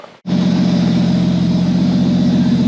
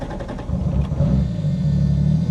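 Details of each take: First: Mk3 Supra inline-six after correcting a wrong firing order, fitting a new trigger kit and new exhaust: steady, even idle with a smooth deep exhaust hum and no misses or stumbles; runs cleanly and sounds healthy. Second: Mk3 Supra inline-six on a new trigger kit, not yet tuned, after a fuel pump fuse swap: low rumble surges unevenly and stumbles as throttle opens, lacking power and bogging; ECU table changes planned, cause not confirmed.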